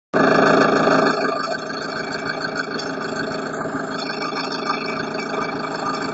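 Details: Engine knock: a steady idle with a rough, regular knocking underneath at about four beats a second; cause not pinned down.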